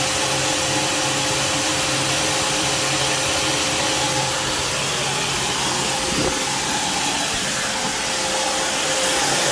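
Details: Alfa Romeo Spider idling with a loud, steady airy hiss from a small exhaust leak still blowing at a joint after the exhaust was removed, cleaned and resealed with RTV; needs a bit more RTV.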